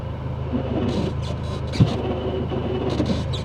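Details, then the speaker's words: Dodge Neon SRT-4, manual: engine drone with short rasping grinds as fifth gear is tried; the gear isn't fully engaging, and shift linkage adjustment under the hood is suspected. "I mean we could check the linkage under the hood but I'm I'm certain oh wait it's grinding so maybe it's not going into fifth you hear"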